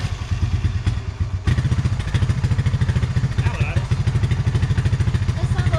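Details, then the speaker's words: Honda TRX 300FW ATV single-cylinder after carburetor cleaning, idle turned up, not running very hot: steady, even thumping idle with a firm low beat and no misses or stumbles; sounds a lot better, normal idle. "sounds a lot better. trying to record it."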